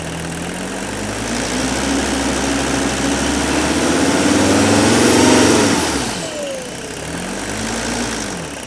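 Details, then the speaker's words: 1976–1985 Mercedes OM617 turbo diesel running on veggie oil and diesel: light, fast, steady tick at front of engine that quickens with revs, partly reduced by removing AC belt. "even after the engine was just running really good on a combination of veggie and diesel that little ticking noise did not totally go away"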